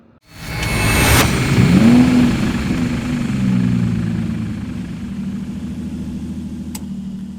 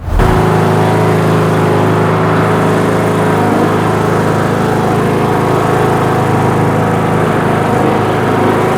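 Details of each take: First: Craftsman LT 2000 riding mower, 19.5HP Briggs & Stratton 31P677 500cc single, before head gasket replacement: cranks, catches and runs with an uneven, faltering, sputtering beat; white smoke, oil dripping, low compression; blown head gasket. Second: Craftsman LT2000 riding mower, 19.5 HP Briggs & Stratton 31-series 500cc single (31P677), driven after head gasket replacement: steady, even single-cylinder drone holding speed, no misses, knocks or surging; running healthy.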